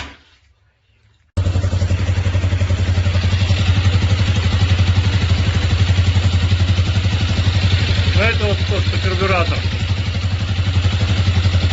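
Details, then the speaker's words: 164FMM motorcycle engine idling after repair (a broken third-gear pinion had cracked the crankcase and piston; gearbox, cylinder and carburetor replaced; the knock was traced to the crankshaft): an even single-cylinder idle with no knock or smoke. "так всё работает Дело было в коленвале стучало то что вот не буду газовать сильно то что вот он на приказ потому что вот работает и не дмит ничего всё хорошо отлично"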